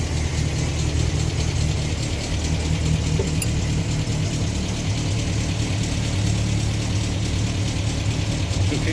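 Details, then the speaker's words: 1962 Land Rover Series 2A 2 1/4 petrol four-cylinder after 10+ years sitting, on 10-year-old stale fuel, slight smoke: deep even low rumble with no misfire or knock; smooth idle and revving. "so right so that's uh oh that's awesome well needed reset leads on it and it ran on the original stale 10 year old fuel so that's a little bit smoking it stinks awful"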